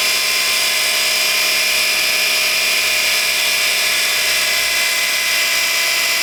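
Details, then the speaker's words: Light car (경차) first morning start, under throttle: steady high whine and hiss, no knock, worse on accelerator and easing when warm; not power steering but sludge-clogged automatic transmission oil filter starving the pump. "이 소리는 온 자봉 변속기 의회에서 어 어 어 일어나는 소리 고요 가동된 특히 to 임 피트 부부 님이 어려움이 돼서 아니 막혀 있는 경우에 해당 되겠습니다"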